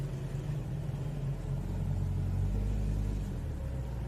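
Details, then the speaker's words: Toyota Etios automatic, in Drive holding the brake and revving: smooth, even low rumble with no belt squeal; noise gone after replacing belt tensioner and belt. "Vou segurar o friio e vou acelerar ó a diferença do barulho ó interferência do barulho acabou o"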